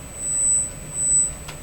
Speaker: this is eight eight thousand Hertz and almost zero output let me turn it up oh yeah it says screaming